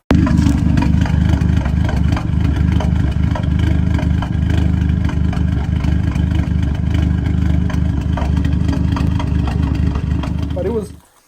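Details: Audi A3 8P 2.0T TFSI with the check engine light on: loud, uneven idle that stumbles, surges and shakes the car, then shuts off. New coils and plugs were already fitted; the owner suspects a failed PCV valve/oil separator.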